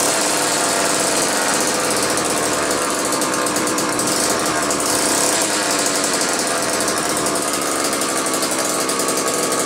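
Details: Old McCulloch 1-40 two-stroke chainsaw, very smoky: revving high and ragged, buzz hunting and stuttering, rough uneven running; owner suspects bad crankshaft seal on one side or crankcase sludge, maybe carb rebuild kit; tuning not far off, cause unconfirmed.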